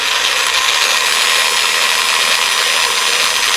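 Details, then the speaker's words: PWM DC motor speed controller module (5A 90W, 4.5–35V input) driving a geared DC motor at 6V supply, potentiometer at maximum, about 2.7A and 16W: steady, high, harsh gear whir with a hissing rasp, a loud gearbox noise. "It's making a loud noise. I hope you can hear it clear."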